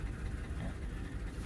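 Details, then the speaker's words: 2009 Lexus GS350 after battery installation and a no-electrical-power fault: faint, low, stumbling rumble that barely holds idle and will not stay running. Fuel pressure looks low; owner suspects something out of time or washed cylinders. Cause not identified. "barely running the fuel pressure is pretty looks like it's pretty low engine does not sound good I'm thinking something's out of time maybe no idea but this will not idle"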